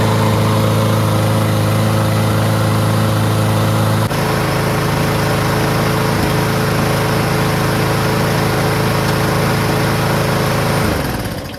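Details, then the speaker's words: Lawn-Boy push mower, Briggs 550 140cc with black plastic carburetor, governor bar bent slightly forward to stop surging; steady even drone at about 3,500 rpm with no rise and fall, normal running. "And so I just bent it a little bit forward and the surging stopped."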